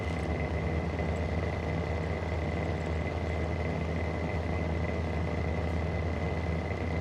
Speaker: guys, here is my vintage Mistral exhaust fan. And it's actually got very bad bearings. Now in this video I'm actually going to show you these bad bearings.